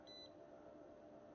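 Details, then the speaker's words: TV power board diode checked with multimeter in diode mode: short, quiet high beep in the direction that should be open circuit with no beep; the diode beeps both ways and may be shorted. "um it should should be open circuit with no beep and then the other way you should be reading the voltage"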